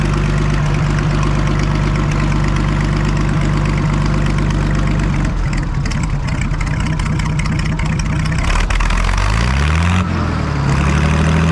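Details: Farmall 560 tractor first start after its carburetor was reinstalled, idle not yet set; catches and settles into a steady low idle with even firing, revs briefly and returns, normal start and idle.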